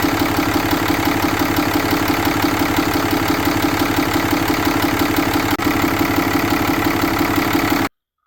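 Steady, even engine beat at idle with no knocking or stumbling, cutting off abruptly at the end; it's running fine.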